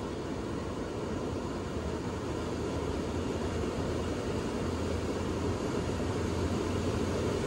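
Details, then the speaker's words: Lennox XC20 variable-speed HVAC system turned on at full capacity; steady airy rush with low motor hum building gradually, no rattles or surging, amps creeping up: normal variable-speed blower ramp-up. "And it's a variable speed, so it takes a while for it to come on, catch up to the speed. You can see the amps are creeping up a little bit."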